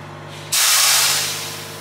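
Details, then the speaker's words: Newly bought 40-ft flat-top semi-trailer being hooked up to a White 4000 truck: a loud hiss of air bursts out and tapers off as the trailer brakes charge and release, and the brakes work. "Well, it works. You can hear them all travelling, a bit far, but..."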